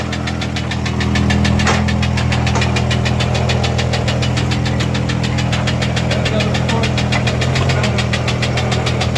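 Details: Idling engine with a loud, steady metallic rod knock, about three to four a second; one of two scrapyard-bound vehicles started, a Chevy Uplander and a Jeep Cherokee, the other having a blown head gasket.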